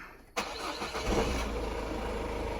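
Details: Peugeot 1.6 HDi diesel started after fuel pipe repair and EGR pipe cleaning: a short crank, then it fires at once and settles into an even idle without stumbling; starts and runs fine.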